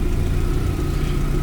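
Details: Subaru Forester STI turbo four, first start after rebuild on an untuned base map, exhaust closed: steady even low rumble with no knocks, misses or surges; normal idle.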